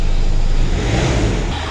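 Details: 2018 Hyundai Accent CRDi 1.6 diesel after engine repair for a piston 2 misfire and knocking: a low, steady idle with an even beat and no knock or stumble, so the engine is running smoothly.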